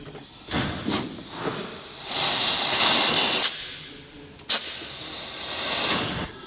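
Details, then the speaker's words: Toyota Supra Mk4 on a dyno, intake pressurised for a leak test, heard at the tailpipe: steady airy hiss swelling and fading in surges with short sharp spurts; pressurised air escaping through open valves. "Und wir gehen mal zum Auspuff und hören uns mal an, was da so durch die Ventile durchkommt. Hier ist es. Da ist schon was."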